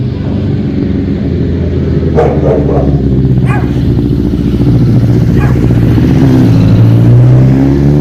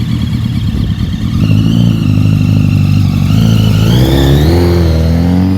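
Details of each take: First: 2005 Honda CBR1000RR after rebuild and balancing shaft adjustment: steady, slightly lumpy idle hum with the earlier whistle/whine gone. Healthy, just a touch rough at idle; idle adjuster may need tweaking. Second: Rebuilt 2005 Honda CBR1000RR engine: a thin, high whistle rides over the engine note and climbs with revs, traced to the balancing shaft.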